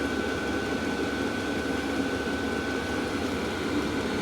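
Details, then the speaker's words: Cheap Vevor diesel heater in a workshop shed on its hottest setting after running 11 minutes, no leaks or overheating; steady even rushing hum with a constant whistle on top, no surging or sputtering, running normally at full output. "I think that's on the hottest it'll go so we're chucking heat out been running for 11 minutes it says"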